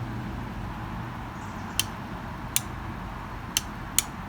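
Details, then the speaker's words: Ryobi 40V brushless 20-inch push mower that won't start, handle cover removed: four crisp clicks of the start and bail safety switches, which sound like they work normally. "So you listen closely and you may be able to hear a click. All right, so that sounds like it works okay."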